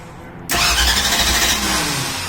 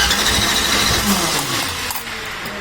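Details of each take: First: 1964 Ford Ranchero with new radiator, first key turn, choke pulled, no fuel yet in the system: steady brisk cranking with an even rhythm that never sags, no dragging or clicking; strong healthy starter. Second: 1964 Ford Ranchero first key-turn after the build, with no fuel in the system yet: steady starter cranking at a regular chug for several seconds and it never catches; good starter, cranks but won't start.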